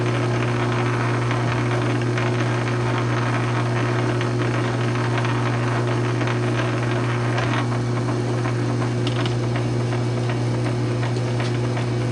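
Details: South Bend 9" lathe with newly installed quick-change gearbox (Model B converted to Model A) and leadscrew extension, slow test threading cut: even gear hum, constant low drone, light cutting chatter, no knocks or grinding; normal running.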